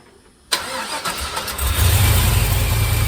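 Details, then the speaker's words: 1951 Buick with turbo LS V8 swap, fuel system hooked up and started to reach temperature: catches in half a second, steady even idle, no valvetrain ticking; quieted down, longer pushrods judged unnecessary. "Seems to have quieted down quite a bit, so I think I'm good to go. I don't think I need longer push rods."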